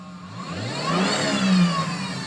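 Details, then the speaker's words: 2007 Chevy Trailblazer LS, 112,000 miles, A/C off, no check engine light: a thin whine that rises and falls with engine revs; owner suspects the alternator or an idler pulley. "they are loud and I want you guys to know not to be alarmed by that noise if your trailblazer is making it. Um you may want to get your voltage checked. Your alternator is probably the indicator or check your pulley."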